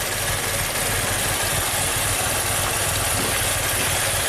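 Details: 2016 Maserati Ghibli Q4 twin-turbo V6, 60k miles, setting camshaft position/timing codes, smelling of raw gas: a lumpy, shaky, loping idle as if running on three cylinders.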